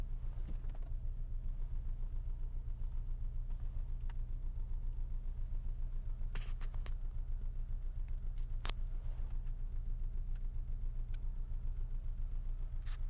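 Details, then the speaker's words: Steady idle recorded from outside, with a regular low knock about three or four per second tied to engine speed; mirror shakes and steering wheel vibrates at idle, source not pinned down. "Не знаю, слышно, нет этот стук. Долбит прям ощутимо."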